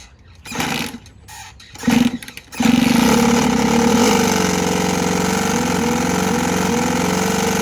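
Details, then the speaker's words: New two-stroke dirt bike after friends rode it long distances held in third gear; still noisy after carb cleaning, fresh correctly mixed fuel and plug check: fires after kicks into a rough, uneven rattle about four beats a second; cracked crankshaft. "starting it up still making a weird noise I'll show you guys what that noise sounds like in a little bit so I brought it home I cleaned the carb I checked a spark plug everything looks fine and it still is making that weird not to stroke type noise you'll see"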